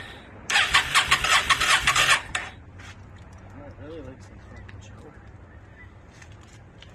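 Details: 2002 Yamaha V-Star 650 on a start attempt: a couple of seconds of fast, buzzy starter cranking that never catches. It briefly ran, and the owner suspects he flooded it; cause unconfirmed.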